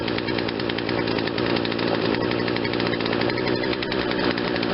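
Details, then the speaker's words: Poulan Wild Thing 40cc two-stroke chainsaw with replacement carburetor, after quarter-turn mixture adjustment, no choke: fast, even buzzing with steady rapid rattle, no stumbling or surging; running smoothly. "Running a little faster, but not too fast that the chain brake needs to be put on."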